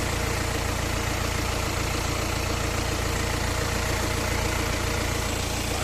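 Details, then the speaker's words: 2019 BMW X1 2.0 diesel automatic, about 11,000 km, engine bay: steady, even diesel clatter at idle with no knocks, misses or hunting; a smooth, healthy idle. "รถสตาร์ทเครื่องอยู่นะครับเครื่องเดินนิ่งเดินเรียบนะครับเสียงเครื่องพอๆเลยนะอ่านี่แหละครับ"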